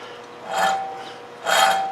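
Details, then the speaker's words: 2012 Hyundai Sonata front wheel bearing, hub freed from the corroded strut and spun by hand: two rough, gritty rasping bursts instead of a smooth spin; worn front wheel bearing, to be replaced. "how ugly that sounds we'll get over to the bench here and start working on getting this hub and bearing out"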